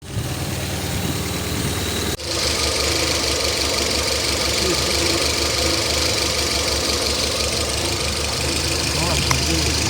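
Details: Citroën petrol engine idling unevenly with shaky knock-like stumble and vibration; misfire from a failing ignition coil, injectors tested, coil replaced and engine then ran smoothly.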